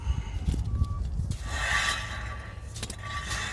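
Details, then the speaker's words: 2014 Subaru Legacy rear brake job with new pads and rotors, wheel hub turned by hand: a light metallic scrape that comes and goes as the dust plate rubs the back of the rotor; bending the plate back frees it. "That is the dust plate. If ever you're doing them and you hear that making noise like that, you just need to get a screwdriver or take your hand and bend that plate back. The dust plate's rubbing on the back of the rotor."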